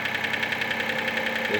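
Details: Mitsubishi Space Star at idle: quick, even light knocking at about eight beats a second over a steady idle, identified as piston slap.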